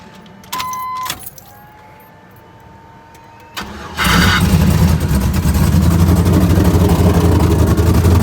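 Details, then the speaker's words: Turbocharged 6.0 LS swap with big cam and 76/78 turbo, after removing the fuel rail and replacing injector connections, no leaks: keys, crank and catch, then steady choppy idle about four beats per second; healthy lumpy idle. "It sounds mean. I ain't gonna lie to you. It sounds mean. It sounds danger. That cam shot, boy, shopping."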